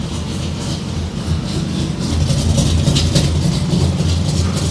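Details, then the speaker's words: GMC C-10 with a rebuilt V8 (not original; originally a 305), a mild cam, an aluminum intake, a Carter four-barrel and cherry bomb mufflers, running after the starter ground wire was connected. A deep, loud V8 burble with a choppy exhaust pulse that swells with throttle; normal running. Owner thinks the starter needs shimming. "now it'll start I got to shim that starter I think little bit sounds really good"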